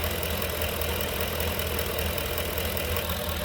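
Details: 2011 Ford Expedition 5.4L 3-valve V8 with over 200,000 miles, idling with the drive belt slack to rule out accessories: steady even idle with no knock; engine itself sounds normal.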